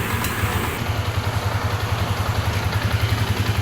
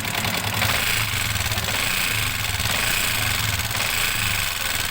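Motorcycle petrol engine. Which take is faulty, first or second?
second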